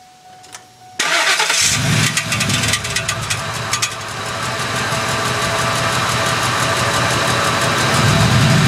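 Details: 2001 Ford F-150 5.4 V8: cranks and catches, then sharp clicks near four per second in the first seconds before settling into idle. Also clicks on acceleration; began about two months ago, cause unknown.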